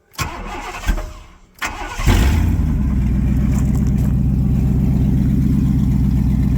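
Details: V8 truck with new 2-inch high-flow catalytic converters fitted, X-pipe not yet finished: cranks, catches after two seconds and settles into a deep, even, throaty idle with steady pulses; runs clean, normal.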